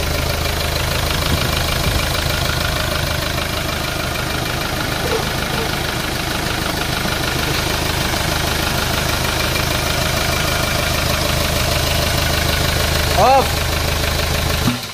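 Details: Hyundai Starex D4CB diesel, previously hard starting and needing intake spray, after its four injectors were removed and tested: steady, even diesel clatter at idle with no misses or hunting; normal healthy idle.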